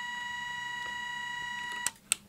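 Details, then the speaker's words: Soviet 1969 "Signal" pocket radiometer in alarm mode: a steady, shrill, rather quiet beep with a fast flutter for about two seconds when the set dose-rate threshold is exceeded. "If the set dose rate value is exceeded, the audible alarm will be triggered."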